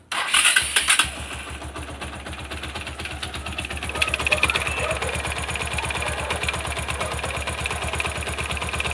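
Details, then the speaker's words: Bajaj Pulsar motorcycle, noise began after fitting a new ignition switch: after the start, a fast irregular metallic ticking over the idle from the left, flywheel side; teardown found worn starter one-way clutch parts. "tiene un sonido muy raro en el motor al lado creo que es al lado izquierda al lado de la volante así que pues nada vamos a revisarlo a ver qué es lo que pasa"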